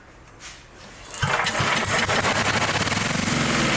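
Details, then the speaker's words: Dayton generator, unused 30 years, sprayed with starting fluid: quiet then engine catches and fires in rapid regular pops for a few seconds; brief firing on starting fluid. "All right, here's some dinosaur farts. Spray that in there."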